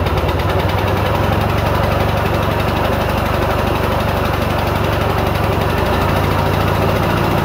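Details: 1940s Simar two-wheel tractor rotary tiller, single cylinder, first start on day two after welding repairs: steady regular thump at constant speed, no misses or knocking; running healthy.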